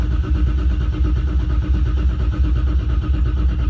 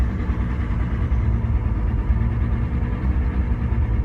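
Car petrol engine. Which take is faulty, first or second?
second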